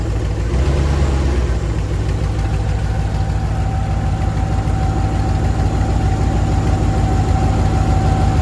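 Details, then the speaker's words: 1999 Dodge Dakota R/T 5.9 V8, 185,000 miles, good oil pressure; loud deep idle with raw puffing pulse about twice a second, unmuffled, from exhaust leak, downpipes rusted off where they meet the catalytic converter. "right when it meets the cat it um ended up rusting off a few years back"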